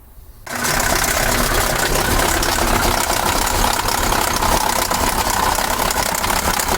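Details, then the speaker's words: KamAZ 740 Euro-2 diesel, cold, now hard to start and leaking oil: catches after brief crank, then rough clatter with loose knock about 220 a minute; loose injection pump drive. "то ли это згура течет то ли там с этого сальника или может это насос вообще стучит что она так плохо стала заводиться"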